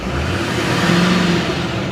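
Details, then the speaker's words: Duramax diesel four-wheel-drive pickup with front-end damage and regular exhaust, no check lights: revs up cleanly with faint rising turbo whistle over the exhaust, nothing rough; normal turbo spool, sounds good. "you can hear that turbo spool up though sounds good what do you guys think"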